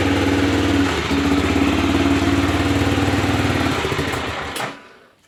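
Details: Aprilia Pegaso 650 single-cylinder thumping at about 220 beats per minute with an uneven, stumbling beat before cutting out; engine misfire.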